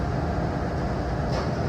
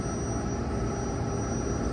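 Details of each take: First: Turbo Air walk-in freezer, R404A system, roof-mounted compressor found very hot and not running: only even condenser fan rush, no compressor hum; technician suspects lost refrigerant, with a failed Supco 3-in-1 hard start kit fitted. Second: Turbo Air walk-in freezer, R404A, roof-mounted compressor: smooth, even low hum without clicking or stalling, starting and running normally after the failed Supco 3-in-1 hard start kit (no current passing) was replaced with a new one.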